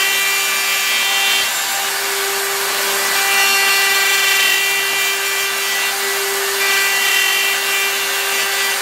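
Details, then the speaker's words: Router milling out an upper receiver: steady piercing screech over the cutting hiss; chatter because the end mill sticks too far out, even though it is supported by a bearing. "that ml is really no it's sticking pretty far out you can hear the chat or even though it's supported with the bearing there it's still a lot endmill sticking out"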